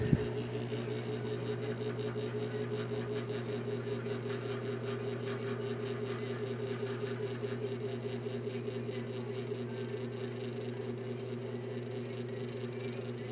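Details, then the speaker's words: Vintage General Electric 3-speed reversible box fan on low, through a barely working low-speed switch: steady low mains hum with soft whoosh, turning too slowly; dry motor bearings need oiling. "it's going too slow to be on low but let's see what happens here with the thermostat"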